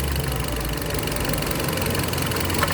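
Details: Rough, uneven idle with a loping stumble and knocky beats under the drone; misfire traced to an intake manifold air leak.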